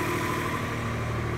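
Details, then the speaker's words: 1988 Acura Legend 2.7L V6 at first start after timing belt, water pump and NGK spark plug replacement: steady, even idle with smooth low hum, no knocks or ticks; normal idle. "maintenant il est temps pour le premier démarrage et elle fonctionne parfaitement"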